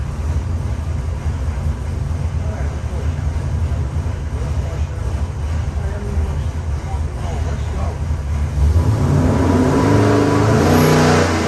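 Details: Customer's freshened 441ci LS7 stroker V8 (re-ringed, new bearings, heads redone, new port-matched intake, same cam) on the dyno, final pull to 6,500 rpm; strong roar climbs in pitch with no misses, knocks or rattles, a normal full-throttle pull.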